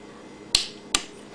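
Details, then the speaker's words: 1992 Honda VFR 750 (RC36) starter relay tested with starter motor disconnected after hot wire shorted to frame: two crisp single clicks about half a second apart; relay pulls in cleanly, sending power. Healthy starter relay click. "that means the relay is good okay now I got to put the Power onto it on the outside that click tells you that it's sending power to the starter but it's disconnected right now so there's no power going to the starter so everything's good"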